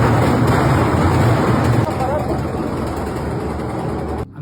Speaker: su lavadora les hace esto cuando está centrifugando yo le digo cómo repararlo fíjense vamos a cambiarle los amortiguadores para que vean que es bien facilito